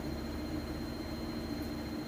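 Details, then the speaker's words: Whirlpool Cabrio washer on drain-and-spin at near top spin speed, extracting water: smooth, even whir with steady low hum and faint high whine, no thumping or wobble; stable, balanced and healthy. "and this is about as fast as it goes it might creep up just a little bit faster"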